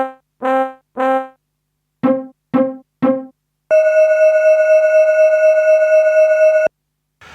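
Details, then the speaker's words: Roland D10 synth during restoration of its sound-distortion fault, running the PCM sound test. Clean brass-like stabs and a long held tone play with no crackle, hiss or dropouts, so this PCM sound plays normally. "so with the noise I can't really tell whether there's any difference between that and the way it was before but the other three certainly are fine"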